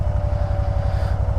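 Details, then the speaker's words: 2012 Can-Am Spyder RT-S SE5 running: steady mid-pitched hum of the ACS air suspension pump over low pulsing engine beat, topping up air that old systems weep out; normal. "Hear the old ACS pump. Don't have to worry about that. I heard it before when I was getting it on my bench cuz these old systems, they just they just weep out air."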